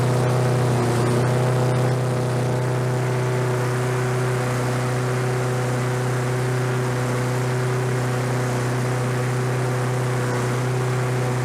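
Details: Roadside-discarded Lawn-Boy 21-inch self-propelled walk-behind mower, revived on fresh gas, low compression felt: even, steady single-cylinder drone with no misses, surging or stalling; running normally.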